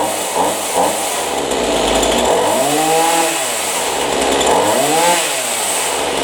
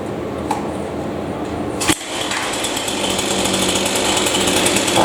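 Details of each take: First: Chainsaw after adjusting the high-speed carburetor screw without the special tool to cure bog-down, air filter checked clean: revs up and drops back cleanly several times without bogging or sputter; now running properly. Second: Chainsaw revs up with a rough, flat buzz that won't clean out at high speed, responding poorly before adjustment; air filter clean, so the high-speed carburetor mixture is maladjusted and needs adjusting.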